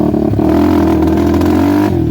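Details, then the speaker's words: 2007 Suzuki LTR450 fuel-injected quad, ridden with helmet-mounted camera: idles and revs fine but uneven revving with irregular exhaust popping and banging, no power; fuel system suspected, not confirmed. "It'll idle and rev fine, but oh, if you don't stall it. You guys hear that popping and banging? It's got like no balls."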